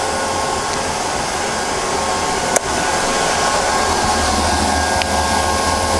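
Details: Neato Botvac D3/D5 robot vacuum after replacing its board (bought on eBay) over a recurring error message: steady, even fan whir with a couple of faint clicks, no grinding; running normally.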